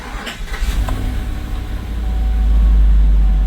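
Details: GM truck (GMC) after a service theft deterrent system relearn, three 10-minute cycles, key programmed: brief cranking, then the engine catches and builds into a steady, even idle with no misfire; no-start fixed.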